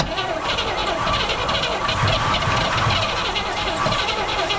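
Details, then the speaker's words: 1970 El Camino 396 four-speed, parked 38 years, spark and compression confirmed; fast churning crank with a couple of brief firing thumps that die straight away, tries to catch but won't keep running. "but adds lubricity all right hit it oh it was trying to keep"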